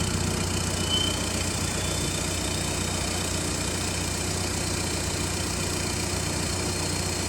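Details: 2011 Audi A3 common-rail TDI diesel after clogged-DPF delete pipe install and tune: steady idle with even clatter, no hunting, misses or knocks; sounds better, no longer like a vacuum — normal diesel idle.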